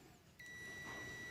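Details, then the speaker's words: New oil pressure sending unit for a Mitsubishi 4D56 engine on a continuity tester: a steady high beep holds with no pressure applied and stops when pressure is applied; normal switch behaviour. "I apply pressure it's going to stop BP C apply pressure see the beeping stops now that's how an oil pressure sending unit works basically it is just a switch okay no pressure is going to beep on your dashboard"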